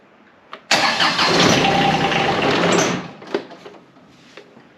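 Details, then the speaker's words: John Deere X758 diesel after an air and fuel filter change, after a glow plug cycle: it cranks, fires and runs rough for about two seconds, then sputters out with a few dying puffs. A stubborn hard start that won't stay running. "Boy, this thing is stubborn. And I know this engine likes its glow plugs."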